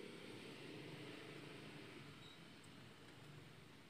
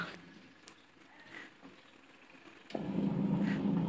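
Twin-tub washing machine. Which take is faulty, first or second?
first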